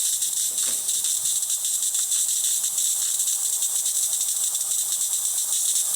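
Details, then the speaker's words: DeLonghi Magnifica XS espresso machine after service, including a replaced mechanic valve. With the steam function on and the thermal block warmed, it gives a steady, even high hiss for six seconds with no sputtering: steam output working normally. "Once you hear that noise, you can open this up and it'll start to push steam out. We're just making sure all the functions of the machine work as intended."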